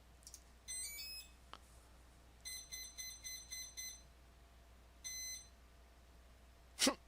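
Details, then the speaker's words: SkyHunter II RC plane flight controller powering back on after battery disconnect: quick stepped startup tune, five short beeps, then one longer beep, all normal; each beep shows as a current spike. "I'll turn it back on you'll hear some beeping going on over there from the flight controller"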